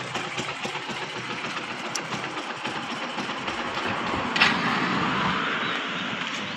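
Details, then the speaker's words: Used Kawasaki Boss 175cc motorcycle (last model) with a new fuel tap, idling: soft, even idle with a steady quick patter, very quiet, with no knocking or tapping. Healthy engine. "ไม่มีดังก๊อกๆกๆกๆอะไรนะครับเสียงเงียบเลยนะครับ"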